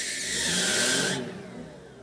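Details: Suzuki Wagon R GF-MC21S at engine start: a sharp, high squeal for about a second that stops once revved, sometimes lasting until accelerating in D. It was not cured by a new fan belt and is worsening; pulley suspected.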